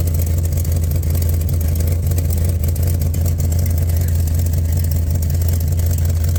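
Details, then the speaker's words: Plymouth Cuda V8 idling: steady deep rumble with a faint uneven puffing tick about two to three times a second; exhaust leak at the downpipe, unreachable until the torsion bar is removed. "oh yeah coming from here in there well there is no fixing that until that tortion bar is out of the way"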